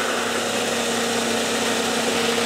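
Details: 1990s car with six-cylinder engine at idle, all coil packs connected before a power balance test: even steady idle hum with no stumbles or dips; all cylinders firing, normal idle.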